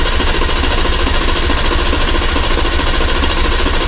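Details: Hurricane inline-six turbo with 8-speed swapped into a Dodge Viper, first start with no exhaust and no wideband O2 sensor, oil pressure still being checked; loud raw rapid even pulsing with deep rumble, firing cleanly, normal running without exhaust.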